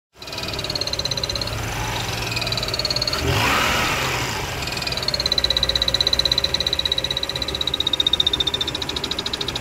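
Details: Mazda RX-8 idling: high thin whistle wavering with a quick pulsing beat, from engine bay somewhere around the alternator; disappears when clutch is depressed, cause unknown.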